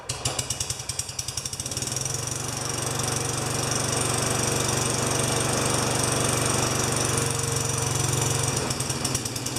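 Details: Tecumseh 4HP Yard Machine mower, dirty air filter removed: a few sputtering pops, then a rough, lumpy run for several seconds that breaks up as if about to stall, as the owner reported; carb clean planned. Cause suspected, not confirmed.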